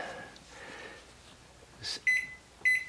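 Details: GE Panasonic inverter microwave after repair of a door switch whose connector was not fully seated and showed arc marks: two clear high single keypad beeps about half a second apart in a quiet room as time is entered and start pressed.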